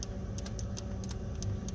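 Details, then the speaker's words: Willys F-head engine with a new-looking distributor, long unused and on a charger, key off: a few sharp, irregular clicks over a low hum as the distributor rotor is turned by hand, confirming the ignition makes spark. "okay well it's got spark i can hear just rotating the distribute rotating the rotor i was getting some clicking that i know sounds like sparks"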